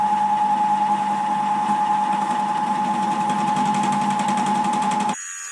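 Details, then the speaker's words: Milling with a face mill after reworking its 50 mm MT2 sleeve to fit against the 70 mm MT3 bore: steady, even singing tone over a low hum, no chatter or stutter; consistent finish, cutting cleanly. "That gives a very consistent finish, but overall it looks good, and looks like it's cutting the way that it's supposed to."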